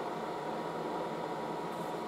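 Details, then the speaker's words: Late-1960s General Electric HD-8C bonnet hairdryer on medium, hose warm, called the quietest hairdryer: a soft, steady airy hiss with a faint hum, no rattle or squeal; normal running. "the hose gets warm it's actually pretty quiet very it's the quietest hairdryer"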